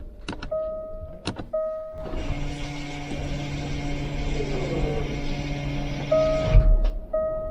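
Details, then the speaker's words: Jaguar F-Type electronic parking brake released via service procedure (ignition on, brake pedal off, park brake and accelerator held, ignition cycled): steady whirring motor hum from the rear for about four seconds, normal winding back of the parking brake. "so I'm not sure if you guys heard that noise but it made a right winding sound from back so hopefully it's wound the parking brake right off now"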